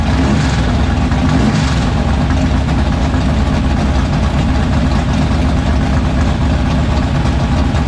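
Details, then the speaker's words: 1976 Chevrolet Vega drag car with new 427 V8, restarted after fixing no oil pressure (distributor not seated on oil pump): loud lumpy burbling idle, deep even rumble, no tapping or knocking; great oil pressure, healthy. "everything sounds good all right vegas on the ground everything's good it's got great oil pressure"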